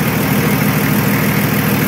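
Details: Nissan Patrol Y60, TD42 turbo diesel, idling after 9 months in storage with battery disconnected; started on first try; steady, even diesel clatter and smooth low rumble, no knocks or misses: normal diesel idle.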